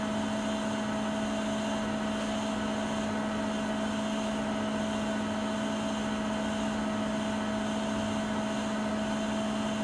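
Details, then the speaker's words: Siemens iQ300 WG41A1X1TR washing machine at top spin speed, about 72 dB: steady high hum with constant tone near two hundred cycles, even and smooth; not silent but ordinary normal spin. "Öyle bir durum yok yani, sıfır sessiz değil. Sıkmadayken 72 desibel sesi var."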